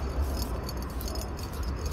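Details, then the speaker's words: 164K-mile Honda Fit with rough idle noise: AC compressor turned by hand gives loose irregular metallic rattle from broken internal bearing; magnetic clutch also not engaging. "it's got a little rattle is that a bearing yeah so broken bearing yeah"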